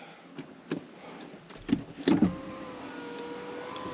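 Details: 2015+ Ford Ranger/Everest/Mazda BT50 after an interior door handle replacement: a few clicks, then an even, steady motor whirr as the window goes up, with no grinding. The window motor is healthy; automatic up/down needs a reset after disconnection.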